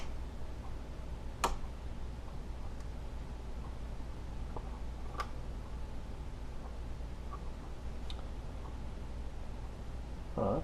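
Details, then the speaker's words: Marshall Lead 12 guitar amp being repaired for cutting out, test signal injected after resoldering ground connections; faint steady tone broken by sharp random pops and a rough burst, traced to another loose solder joint. "there's another problem right there this thing's coming soldered all right we can fix that"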